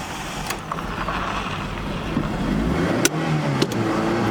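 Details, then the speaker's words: Free third-gen Mitsubishi Eclipse GS, manual, cranks right up and revs well but will not idle at all; only keeps running held on the throttle, revs rising unevenly. Owner suspects a vacuum line or something off. "See, it just will not idle. Sounds good though. Just will not idle. It's got to be a vacuum line or something off."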